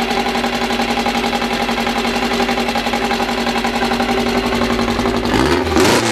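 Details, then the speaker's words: First start of a freshly built air-cooled 2054 flat-four, carburettors barely adjusted, no final exhaust fitted: steady, even running through a loud open exhaust, no misses, clean blip at the end; healthy engine running well from the start. "bom a gente deixando agora é a primeira impressão de lado que o barulho é eu acho que o motor funciona muito bem logo de primeira"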